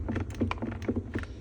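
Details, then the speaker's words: VW ID.4 cabin: quick dry creaks and clicks as the door trim panel is pressed, over a low cabin hum; the door card trim creaks, and it also rattles with music. "салону автомобиль в целом неплохо собран но присутствуют некоторые скрипы то есть обшивки дверных карт присутствуют вот такие вот"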